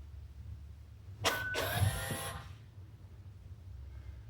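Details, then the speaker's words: 2021 Hyundai Elantra CN7A 2.0 L, electric parking brake commanded through the assembly check with a Foxwell scanner to return to the normal service position: a short, smooth whir of about a second ending in a clean stop. The motor runs normally. "Well, that worked right. It actually did something."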